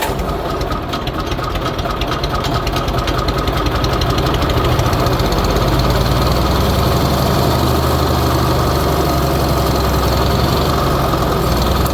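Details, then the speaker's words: Old Bobcat, allegedly 610, small petrol engine unrun for years, choke lever kept slamming shut; with choke off: uneven loping idle about three beats a second, almost idles, oil level too low to read; rough idle. "dang it almost wants to idle too well I think I'm just going to wire that choke open"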